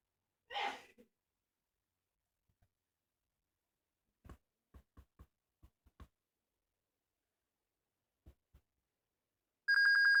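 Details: Dell Inspiron 1545 laptop won't start: quiet clicks of the power button, then a loud steady high beep at power-on.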